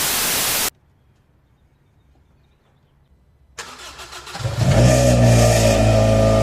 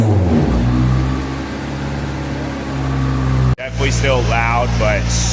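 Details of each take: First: 1993 Honda Del Sol with cheap eBay muffler before fitting a replacement muffler; engine fires and revs with a loud, raspy, tinny drone swelling with throttle, typical of a muffler with no baffles. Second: 1993 Honda Del Sol with a cheap aftermarket muffler welded on, revved about 1,000–3,000 rpm: a deep, steady exhaust note rises and falls cleanly with no rasp. Loud but smooth, much less raspy than before, and healthy.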